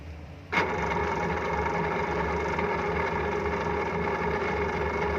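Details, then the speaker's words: Lazer kitchen exhaust fan, single-phase 230 V 50 Hz AC motor, tested before repair: loud, rough, steady whir and rattle from worn motor bearings; winding checked, not shorted. "ये देखिए, काफ़ी ज़्यादा साउंड आ रही है।"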